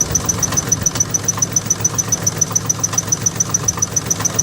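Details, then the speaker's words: Salvage petrol engine idling roughly with a sharp, regular knock about 3.5 times a second, misfiring badly; knock not heard when revved, owner doubts rod knock, suspects an accessory, unconfirmed. "I'm hearing some crazy noises under here. You hear that? What is that? Is that a knock?"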